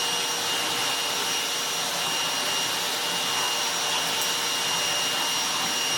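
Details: Goblin Solo vacuum cleaner after restoration with a hacked motor and an attempt at sealing the bag door: steady, even high-pitched rush of air with no surging or rattle; suction restored and the motor runs normally.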